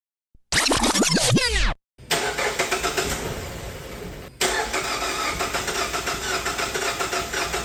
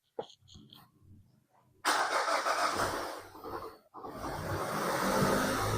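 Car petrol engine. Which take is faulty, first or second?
first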